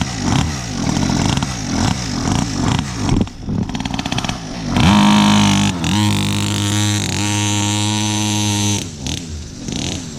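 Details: Cheap mini motorcycle, years as a decoration, tyres aired and fresh gas added, run outdoors: small engine pops along then revs cleanly, steady buzzing drone, no misfire; running good, normal.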